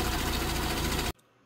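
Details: Rover Mini SPI (single-point injection) in for service with cooling system and coolant flow problems, idling after a cold start during sensor checks with a code reader; Lambda swings 1.2 to 4, sensors appear to work. Steady, even idle with no misses or metallic knocks, then clean shutoff.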